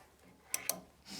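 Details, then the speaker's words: Dehumidifier heat-pump four-way reversing valve shifted using a magnet: two crisp metallic clicks about a sixth of a second apart in a quiet room as the slider moves and seats cleanly; valve shifting normally. "you can hear it sliding up and down."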